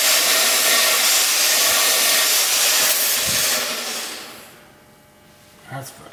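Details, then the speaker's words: Rebuilt Akron ball valve, closed, still leaking: loud steady hiss of water coming through around the ball, dying away, then a clunk; rebuild possibly done wrong or something worse; internal valve leak past the ball. "okay well it's coming through the valve is coming right around the ball so either we did it wrong which is possible or we something worse"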